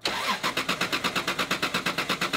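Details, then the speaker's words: 1993 Toyota Supra (2JZ engine): fast, even cranking pulses about seven a second, engine struggling to catch and stay running; electrical system unhappy, improper ground suspected as cause of rough start and stall. "uh the electrical system is very unhappy happy there's definitely not proper ground here okay good um there's definitely not proper uh grounding we can we can probably look at the grounds"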